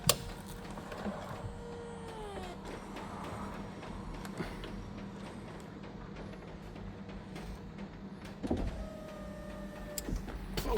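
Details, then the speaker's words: Porsche 996 convertible after hydraulic roof cylinder rebuild and refit: steady electric pump hum with whining tones dropping in pitch as the roof travels; pump louder than usual but working, fix left for later. "And the pump's a bit noisy, but it's working. So something maybe in the future we'll get it done, but for now it's okay."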